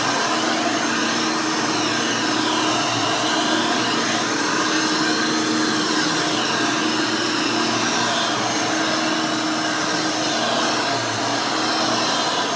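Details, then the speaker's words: Rebuilt Hoover Elite 600 upright vacuum with new 7 amp motor and retrofit 20-blade fan impeller: loud, steady high whoosh with even motor pitch, no rattles or grinding; runs smoothly and fairly quietly, like the original 6 amp motor. "very nice runs very smooth it's fairly quiet this new 7 amp motor with the 20 blade fan almost sounds like the original 6 amp that was in this"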